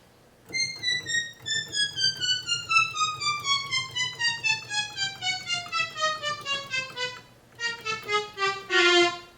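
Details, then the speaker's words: ARP Omni 2 synthesizer after recap and keyboard restoration: keys 30 to 39 on 4-foot strings and synthesizer now play one after another, each clear and even, none missing; normal key response after repair. "Now it's working without having to pin the note. This range of keys 30 to 39 on the 4-foot strings and synthesizer."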